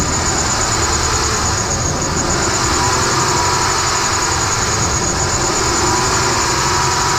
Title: squeaky belt or Pulley? How to fix the alternator squeaky pulley